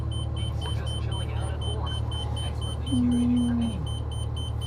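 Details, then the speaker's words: 2025 Renegade Verona 40VBH Super C RV on a Freightliner M2 106 Plus with an 8.9L L9 Cummins diesel, just started and idling in the cab. Rapid, steady, high-pitched beeping from the leveling system: the jacks crept slightly after sitting and read as down. "right now that beeping is your leveling system your EQ leveling system so when you hear that beeping it's pretty common"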